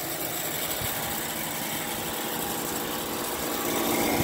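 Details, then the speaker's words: Emerson Quiet Kool window air conditioner, vandalized and very loose, fired up with compressor running: steady fan roar with a fast, fairly regular tick about four times a second as the fan strikes something, point unknown. "i don't really see what the fan is hitting up against"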